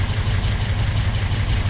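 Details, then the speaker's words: Porsche 356SC air-cooled flat-four, first start after full rebuild: runs with a steady, deep, even pulse and no knocks or rattles; still needs some adjustment. "it's a freshly rebuilt engine it's going to need a little bit of adjustment"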